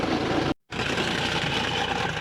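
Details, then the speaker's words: Roadside callout on a Sprinter-type van diesel at idle: coarse, uneven clattery running with a brief cutout, engine sounds badly worn. The coolant pump area is leaking, possibly from the pipe, and the crank pulley visibly wobbles. "Oh, here we go. That sounds absolutely knackered, that engine."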